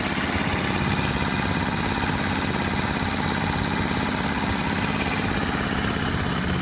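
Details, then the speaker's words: Honda 50/70/90cc small engine after rebuild, fitted in a scooter, warmed up after about 15 minutes of riding: busy buzzy idle under a steady hiss with the tiniest fast faint tick, "sewing machine" sound; normal healthy idle. "why they call these little sewing machines, is because they just have the tiniest little tick to them. I don't know, to me it's actually quite therapeutic. I can hear the parts working, but it's not invasive or anything."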